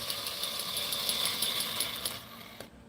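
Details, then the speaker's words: Clock movement with hand removed, allowed to freewheel: rapid, light, fairly regular ticking about four a second then fading out, the gear train spinning uncontrolled, which is damaging it. "Will it freewheel? There it goes. There it goes. Look at it go. Obviously, I can't let it run like that cuz obviously that's damaging it."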